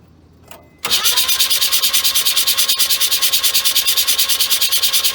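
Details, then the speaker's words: 1979 Mazda RX-7 rotary, not started in 16 years, carburetor newly installed with makeshift fuel system and regulator, very wet plugs: steady cranking about three beats a second with even suck-and-push, showing some compression, no start. "Sounds like it might be making compression too. Or at least some. I can hear some suck."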